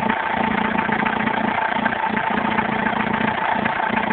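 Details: Alfa Romeo 156 1.9 JTD diesel at idle: thin, steady high-pitched whine over an even diesel idle that doesn't change; belt noise suspected, not pinned down.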